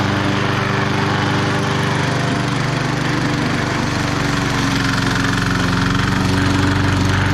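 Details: Bolens 22-inch side-discharge push mower, Briggs & Stratton 500 series engine, after fixing a no-spark no-start, cutting the thickest grass: steady, even drone with no surging or misses. Normal running under load.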